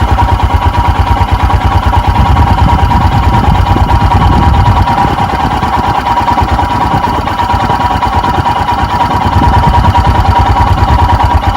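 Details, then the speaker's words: 2021 EFI Royal Enfield Himalayan cold start with the choke/idle lever raised, throttle untouched: steady, even single-cylinder thump as idle climbs to about 1200 rpm; normal cold fast idle. "i'm resisting the temptation to roll the throttle because i want the oil to splash around inside first i hear the idle sneaking up and there we go we're up around 1200."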